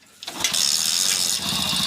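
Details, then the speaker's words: Hero Splendor Plus after fixing a no-start (inlet tappet setting was improper): kick, engine catches on a single kick and settles into a quick even single-cylinder beat, throttle response fine; normal starting. "यहां पर देख सकते हो bike single kick के अंदर start है"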